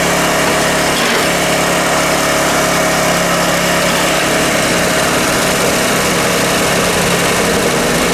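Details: Small single-cylinder Honda generator (E300/EX500/EX800) engine at steady, even idle with no hunting, surging or misfire after swapping in the old spark plug; healthy idle, before load testing.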